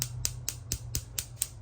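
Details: Wolf gas stove with knob pushed: sharp, steady electric igniter clicks about four a second with no whoosh of burner catching; constant clicking/no ignition caused by oil and food debris on burner plate or igniter.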